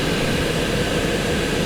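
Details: Mercedes W140 500SEL blower motor, the cause of no A/C vent flow, lubricated with automatic transmission fluid, now running with cold air from vents: steady even whir, no squeal or scraping; normal blower operation.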